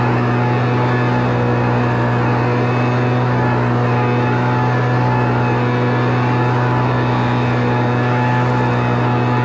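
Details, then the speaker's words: Homelite Mighty Lite 26BP two-stroke backpack blower after carburetor replacement and adjustment: steady high buzzing drone at even speed, no surging or dropouts; running normally. "all right we got the backpack blow all finished up had to do a little carburetor adjustment to get it all working right"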